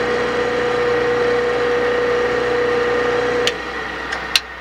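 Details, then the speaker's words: Portable generator running only with choke set midway, too far chokes and dies: steady hum for a few seconds then abrupt cutout; runs only on half choke, lean running suspected, not confirmed. "gotta get the choke right in the middle you go too far over it'll pull it'll choke it and die out"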